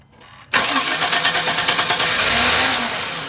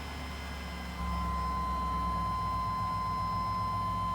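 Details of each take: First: Chevy with a distributor: the starter cranks evenly but it never fires despite spark and a new fuel pump, fuel filter, cap, rotor, sensors and battery; the security light never comes on, and the cause is an anti-theft security fault. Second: Chevy, after a crank-no-start: a new fuel pump, filter, relay, cap and rotor, crank and cam sensors, and battery didn't fix it; replacing the bad security box did. Now the security light comes on, and the engine catches and idles steadily with a chime.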